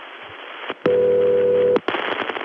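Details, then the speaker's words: Early-1980s Bell System call: a single buzzy, warbling ring burst of about a second near 400–500 Hz. Double Murray ring ringback, a rarer variant of Murray ring. "What's even more exotic than Murray Ring? Double Murray Ring."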